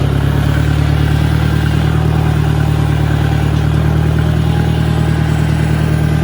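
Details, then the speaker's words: 1965 John Deere 1010 tractor, not properly maintained, at 1,000 rpm in gear: steady drone with a rough clattering undertone, noticeably louder straight-cut gear transmission noise than a properly maintained 1963 1010. "these tractors they have straight cut gears are not helical gears so they have a tendency to make noise but even so there's a a good bit more of that noise coming out of the 65 as opposed to the 63"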